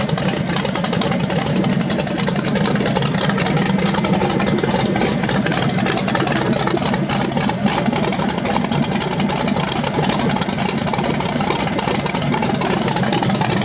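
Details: BluePrint 396 big-block crate engine for a 1970 Camaro SS, first run on a stand outside after oil priming and a timing check: loud, steady, even-firing idle with no knocks or ticks. It sounds healthy with no leaks.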